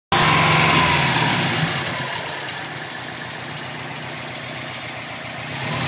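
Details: Subaru Legacy GT checked for a thumping noise, recorded from underneath the car: steady, even engine run with no thumps or knocks; normal running.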